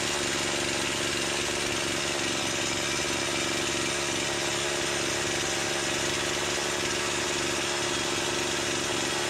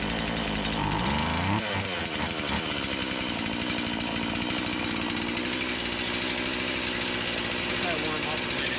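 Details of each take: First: Stihl MS170 with Amazon replacement motor, after swapping the Holzfforma carb for a brand-new stock OEM Stihl carburetor, started on half choke: bright steady high-rev buzz, no surging or bogging, less smoke; owner says it woke it up; normal running. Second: Stihl MS170 with Amazon replacement motor and a new Holzfforma carburetor, cutting black walnut: uneven buzzing revs that climb and sag without crisp response; owner says it sounds far more doggy than an OEM MS170; sluggish running.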